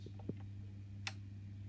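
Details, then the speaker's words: Honeywell programmer on a boiler, heating switched on: one crisp firm relay click over faint mains hum; heating relay switching properly, while hot water side gives no click. "you were hearing the heating relay click off but the hot water II they click on so if you listen carefully here I'll put the heating on you'll hear one click"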